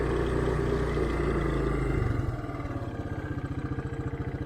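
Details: 1984 Honda Big Red 200 three-wheeler, sat about 25–30 years, now running after new carburetor, oil change and throttle cable; ignition switch still not working but motor sounds good: revs fall from busy drone to even thumping three to four beats a second, clean and healthy.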